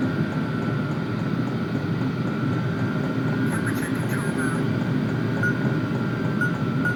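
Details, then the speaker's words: Vevor toolbox diesel air heater in an enclosed trailer, warming up with blower turned up to higher speed: even steady mid-pitched whir, no surging or rattles; normal running. "So, I can feel the exhaust coming out. You could actually hear it. So, I'm just going to let it run and let it heat up."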